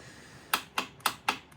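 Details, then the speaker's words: 2016 Polaris Sportsman 570 with rebuilt engine (new cylinder and piston after water damage) that sputtered and backfired; on start attempt, brakes on, it only clicks about three times a second with no crank, same with boosters: starter solenoid clicking. "as you can hear it's just clicking so obviously the running issue is the main reason he brought it here"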